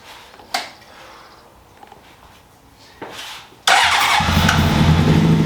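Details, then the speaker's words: 2003 Honda CBR600RR unstarted for 18 years, after a new ECM, fuel pump, relays, battery and zener diode: a few bursts, then sustained cranking that never settles into idle; it smells of gas and the injectors are suspected of cutting out. "Smells like gas in there. Sounds like the injectors are just stopping."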